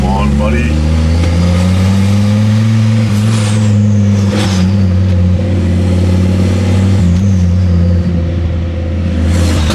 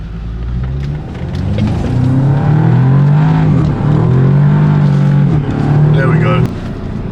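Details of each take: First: Ford Focus ST/XR5 Turbo with a severe misfire: rough uneven revving with a sharp puffing chuff from the front of the engine, where the exhaust bolts came off at the turbo downpipe joint and it is leaking. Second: Audi S3 that was heavily misfiring, after an oil service, new spark plugs and new coil packs, with fault codes cleared. Engine revs up and drops back smoothly with a clean, steady note and no stumble or misfire. Revving normal after the repair.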